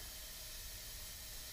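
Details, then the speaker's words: Mazdaspeed 3 with P0300 and low compression on cylinder 3, under a leakdown test: steady loud hiss of air escaping out the intake, a leaking intake valve seat. "I have this giant hole in the intake right here. You guys can hear that. Oh yeah, 100%. This is coming out of the intake, guys."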